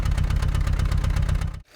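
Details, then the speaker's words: 2016 Kia Optima with a solid misfire, heard at the exhaust at idle: uneven, lumpy pulses with a skipping beat while running on three cylinders, with the engine shaking. Cylinder four is suspected; the valves were replaced at a dealership a year earlier. "that's because we're only running on three cylinders and then here in the exhaust you can hear it"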